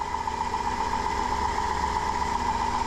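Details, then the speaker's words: Noisy alternator on a 2005 Dodge Grand Caravan 3.3L running with the main cable off: a loud steady high whine. The alternator reached about 320°F and read 0.8 ohm from the main post to the case, pointing to a shorted diode pack. "I need an alternator running and if you can hear that this is a wee bit noisy the main cable is off taped up"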